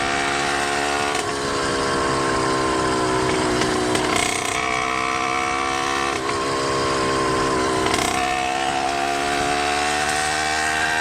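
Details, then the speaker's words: Freshly rebuilt 100cc motorized bicycle engine (49mm iron-sleeve bore, custom ports, new wrist pin, slightly rich 92 jet, untuned) just past three-quarter throttle: buzzy note wavers unevenly, heavily four-stroking; carburetor tune suspected. "it and it starts four-stroking real heavy. That's not full throttle because full throttle is slower."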